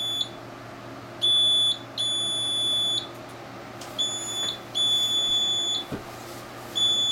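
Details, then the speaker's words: Printer stuck two hours in an "error service reset" loop after print head hissing: high shrill beeps of uneven length repeating over quiet room hum; error alarm, maintenance station fault suspected. "It's been whole morning, cannot print at all. Seems like something wrong with the maintenance station."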